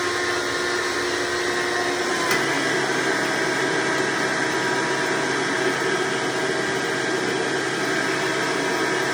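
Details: Hoover Decade Soft & Light Elite vacuum (owned since May 2024), first run after replacing 7-bladed fan impeller with 20-bladed upgrade, bearings greased: steady high rushing motor whine with even airflow hiss, no rattle; noise mostly reduced, still somewhat loud.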